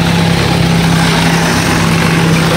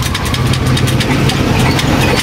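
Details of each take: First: Rusi Chariot 175 tuk-tuk used for hauling water, after the high idle was lowered; loud, steady single-cylinder putter holding an even idle without hunting or stalling. Normal idle. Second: Rusi Chariot 175 tricycle used for hauling water, engine running: a fast, busy idle with quick ticking over a constant engine buzz, revs well above normal; idle set too high and wasting fuel, to be lowered with a screwdriver.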